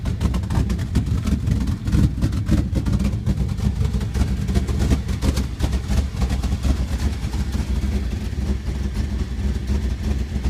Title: Dodge Ram 1500 Rough Idle